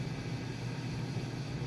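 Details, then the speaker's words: Maytag Bravos electric steam dryer after being stripped, greased and reassembled, running empty: steady, even low hum from the turning drum with no knocks, scrapes or squeals; normal running. "Sounds really good. I'm gonna go ahead and toss a load of clothes in here, and we will hear it run with a full load of clothes."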